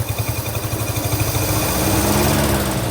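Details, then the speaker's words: Long-abandoned 1948 Studebaker Champion flathead six, first start, at least one dead cylinder: uneven idle with soft regular puffs about three or four a second, settling smoother; puffing out of the carburetor, owner suspects an intake valve. "It might be an intake valve, actually. You can hear it puffing out of the carburetor."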